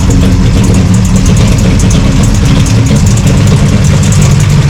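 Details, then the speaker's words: 1966 Plymouth Satellite 426 Hemi 4-speed, still warming up: loud, lumpy V8 idle with a tinny, irregular ticking rattle at the front of the engine. Stethoscope finds valve covers and block quiet, locates the noise at the water pump; high-volume replacement pump ordered. "So as it's still warming up, you can hear a rattle in the engine."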